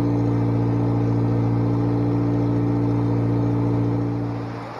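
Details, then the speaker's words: Bobcat 642B skid steer after head gasket replacement: smooth, steady engine drone with faint whine before winding down; now runs pretty good, normal running. "it runs now runs pretty good"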